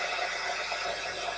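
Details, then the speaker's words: Sony ICF-2001 receiver during repair: steady, even hiss across the band with no station coming through at any tuning, even though the signal meter reads full strength. The set also won't switch off. "you can hear all we have is static now we can go up or down what the tuning doesn't matter just picking up nothing but static"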